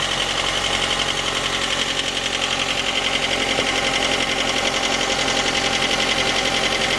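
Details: J20A engine, 2010, cold: sharp steady knock about 220 times a minute over the idle. Appeared near 10,000 km and worsened after oil changes; valves, compression and oil pressure fine. Cause: scored crankshaft journal, cylinder 3; short block replaced.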